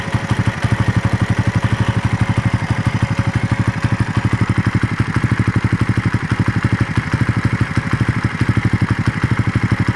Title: My raider engine noise after long ride